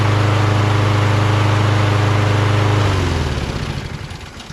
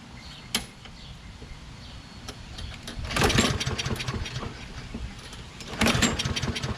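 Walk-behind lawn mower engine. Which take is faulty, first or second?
second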